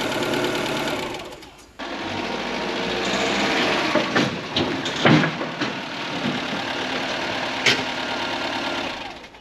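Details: Ford Fiesta Mk4 1.3L Endura petrol, off the road since 2019, first service in years: fast, busy ticking clatter from the top end at idle, noisy tappets from excessive valve clearance, to be adjusted.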